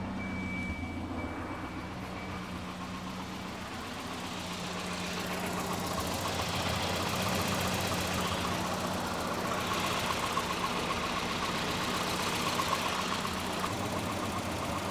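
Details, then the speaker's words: 1988 Volvo 240 DL after fresh silicone vacuum lines and a mini tune-up: uneven idle with a rattly knock of about four beats a second that never smooths out. It still idles rough. "let's see if it runs any better with some fresh vacuum lines and a mini [Music] tuneup nope it's still uh starts about the same"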